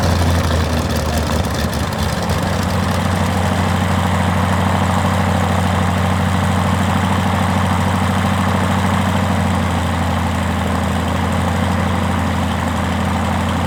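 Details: First start of a Rotec R2800 110 hp radial, about six years old but never run before, on an Aerolab LoCamp reassembled after long storage: deep, even idle with a steady low beat, no misses or knocks; normal idle.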